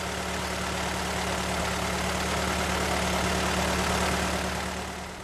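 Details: 1925 Ford Model T four-cylinder after hand-crank start with spark advanced, throttle barely open: steady, even idle about four beats a second, smooth low thrum, no misses; normal healthy idle.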